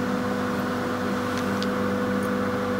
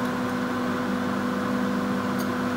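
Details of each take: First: Stainless-steel executive coach on Mutiara Selatan train, Surabaya–Malang, AC unit mounted mid-carriage: steady, even, loud mid-pitched drone that never wavers; normal AC hum. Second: Stainless-steel executive carriage, KA Mutiara Selatan Surabaya–Malang: loud steady drone with two fixed tones over soft rumble from the AC unit mounted mid-carriage. Loud air conditioning hum.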